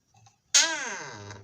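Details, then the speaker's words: Squeaky door hinge before lubrication with 3-in-1 oil or WD-40: single drawn-out, high, wavering creak sliding in pitch as the door swings, classic dry, rusty hinge. "चलिए अब हम आपको दिखाते हैं कि हमने इसका यूज कैसे किया है और रोज रोज की खौफनाक आवाजों से हम कैसे छुटकारा पाए"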